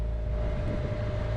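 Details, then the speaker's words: Sailboat's auxiliary engine running under way crossing the Gulf Stream in rough conditions: steady, even low hum with constant tone, no knocks or misses; normal running. "if you can hear that beautiful humming we've got the engine running"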